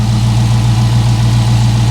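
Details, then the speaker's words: Big naturally aspirated V8 with essentially no miles: deep, even, steady low rumble at idle with no misses, knocks or wavering. "it sure sounds good I mean it's got no miles on it guys none"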